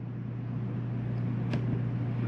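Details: Rooftop air conditioner on a Jayco Eagle 30.5CKTS RV, cool mode on high: steady low hum with even fan rush and one brief click; normal running.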